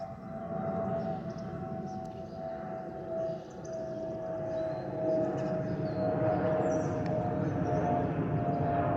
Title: 💛🖤💛Spirit Airlines Airbus A320-232 N615NK NK380 FLL-DTW (FOPP whistling sound)💛🖤💛